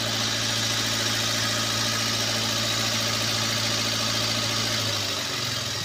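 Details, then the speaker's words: Toyota Avanza idling with one ignition coil socket unplugged and no change in running, so that coil is weak or half-dead: steady low idle with slightly uneven lopey beat, misfire from failed ignition coil; owner reported high fuel use, fuel smell, no power. "soket sudah kita cabut nah tetap mesin masih mau hidup satbat ya berarti bisa dipastikan dari kuilnya ini sudah lemah atau sudah setengah mati sobat ya"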